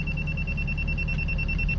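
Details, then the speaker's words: Bosch grade-rod laser receiver while digging footings with a Kubota: steady high-pitched tone signalling off grade, reading down 1 inch at the tooth mark. "It's flashed there 1.25 inches, down 1 inch, and we're in the tooth mark."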